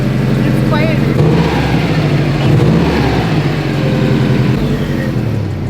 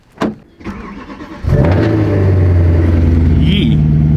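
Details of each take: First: Subaru WRX idling after its exhaust leak was fixed with a new pipe: a few throttle blips settle into a steady, even, low smooth rumble with no ticking or puffing; normal idle. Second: Subaru WRX on a cold start: starter cranks briefly, then the engine catches into a loud, raspy, blatty roar, typical of an exhaust leak at a gasket.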